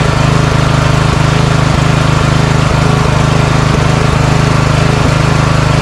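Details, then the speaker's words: Craftsman riding mower idles low, broken by irregular stumbles and faint backfire pops from surging; the carburetor was replaced. "Okay. So, there is a little bit of surging and backfiring."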